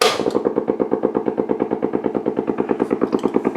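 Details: Blaupunkt Florenz radio with broken dial strings; amplifier, bass and treble work, but on AM a steady putt-putt pulse about three a second with no program, severe motorboating, cause still open.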